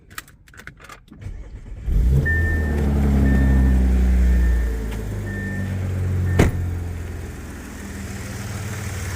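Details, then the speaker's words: Audi A6 3.0T first start after installing 034Motorsport high-pressure fuel pump piston upgrade, system already pressurized: brief crank, fires and settles to steady, even idle with no tapping or odd noises; no leaks, healthy start. "But so far so good, no leaks, no sounds."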